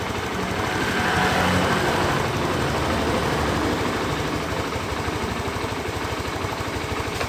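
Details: Honda Beat FI scooter that arrived completely dead, idling after a CDI/ECU replaced the dead one: steady, even idle thump with no misses, knocks or hunting; the engine runs smoothly and sounds healthy.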